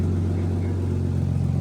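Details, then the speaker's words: Turbo Barra-powered Holden VT Commodore idling on the hoist, warming up after an automatic transmission service: a steady low idle rumble with a fast puffing tick riding on it. Exhaust is leaking at several joints. "We're just gonna let it run for a bit, get up to temp. You can really hear how many exhaust leaks this thing has from everywhere."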